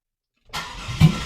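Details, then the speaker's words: Buick Park Avenue Ultra restored to factory drivetrain from parts car, open headers with no exhaust fitted, first start: brief crank, catches with loud deep roar and settles; healthy start. "hey that runs that is fantastic man that makes me so happy"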